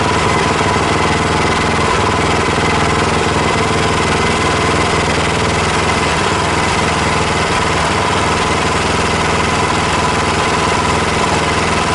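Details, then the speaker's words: Predator Hemi 212 single-cylinder on a Mega Moto mini bike, just fitted with a Tillotson TFB carb, idle turned down a hair: steady even idle, firm exhaust beat, no knocks or misses; exhaust shakes a lot, needs support bracket; runs healthy. "that sounds good I'm extremely happy with that uh a lot of Shake in the exhaust we're going to have to put that support bracket on there for sure"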